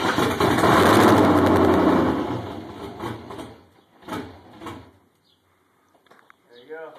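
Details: First start of a freshly rebuilt LS1 V8 in an RX-7 after a year: fires loud for about two seconds, then stumbles and fades unevenly; rough running, tune suspected off.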